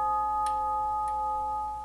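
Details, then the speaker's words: Tube gong grandfather clock on a test stand after refurbishing worn leather hammer pads: the previous culprit tube now gives a clean, sustained bell tone with no buzz or clack. It sounds really good. "Yeah, that even sounds better. This is the culprit one right here. Oh, yeah. That sounds really good."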